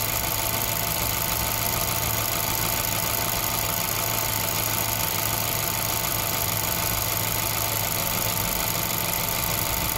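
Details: 2011 VW Golf 6 1.2 TSI 63 kW idling with an uneven light tapping about three a second over a bright hiss; strange noise, cause not pinned down.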